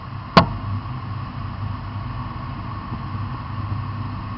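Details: One sharp, loud pop stands out early over a steady low running note, then the engine carries on evenly. The cause of the pop is unclear.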